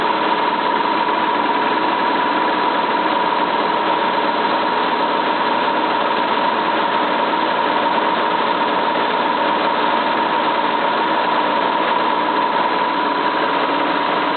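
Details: Cylinda 12002 washing machine, final spin: loud rough steady roar with constant whine and uneven rattle, like something stuck in the drum, though the inspection pocket held nothing; knocking during spin.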